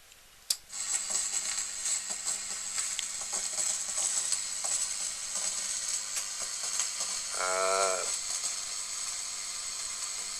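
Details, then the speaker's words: Sony TA-88 amplifier under repair, left channel into a speaker: switch-on thump then steady low hum under fizzy crackling, buzzing and hiss, quieter than before; fault being localized. "is some buzzing and crackling but not very very loud yeah so there's obviously an issue there as well"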